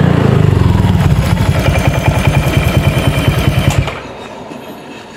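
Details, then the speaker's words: Honda Vario 150 scooter with faulty TPS sensor, before BRT TPS replacement: uneven low-rev chugging about three beats a second, never climbing, then cutting out; won't rev out, faulty throttle position sensor. "kondisinya enggak bisa dig gaspol enggak mau jerit ya"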